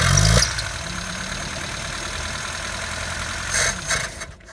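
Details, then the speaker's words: Toyota AE82 project car after 7 months, choke just disconnected, carburettor suspected; cranking catches into rough uneven idle for a few seconds then dies; hard start, cause unclear. "But in this case it is giving us a hard start."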